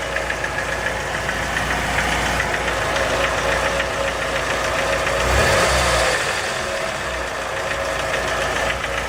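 Sharp, regular knocking at roughly three to four per second over a steady idle points to an internal engine knock.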